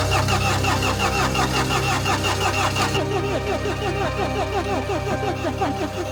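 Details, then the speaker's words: Mini Countryman after timing chain repair (broken guide, engine had been out of time): steady, even cranking pulses with no firing, because no fuel has reached the system yet. Air in the fuel lines; the injectors are to be cracked. "well we doesn't stall like what said we don't have fuel just yet in the system Dar please crack the injectors"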